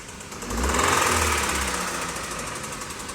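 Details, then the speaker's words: Hyundai New Tucson turbo engine: heavy regular metallic bottom-end knocking, two or three blows a second, from oil starvation after lacking preventive maintenance, with worn turbo with play; needs replacement. "Esse carro aqui é um carro bem específico, por ele estava com dico travado aberto, turbina com folga e faltou lubrificação do motor."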